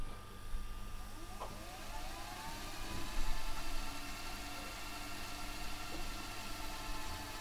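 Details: Sony DAV-D150G VHS deck on a second tape, after the first tape would not rewind: a steady, smooth, even motor whir with no dragging or labouring; the tape rewinds freely and properly.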